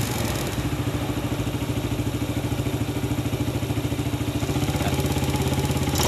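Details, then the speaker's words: Yamaha Vega ZR after swapping loose oversize-50 piston for sanded oversize-75: even steady idle putter about three beats a second, no rattle or tapping; the earlier knocking noise is gone; normal idle. "Baiklah sobat semua Alhamdulillah suara ngeflek pada motor Vega ZR ini sudah tidak kedengaran karena sudah kita ganti piston nya yang lebih besar"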